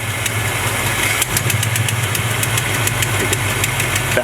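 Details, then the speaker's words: 1970 Chevrolet C20 V8 at idle after screw adjustment and slight rpm raise: steady burble, fairly even beat with a few light ticks; close to normal idle, previous owner's tune possibly off. "yeah it sounds definitely closer to normal now I guess it was just running Jack from previous owner"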